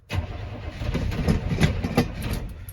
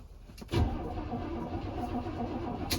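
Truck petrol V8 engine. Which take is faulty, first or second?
first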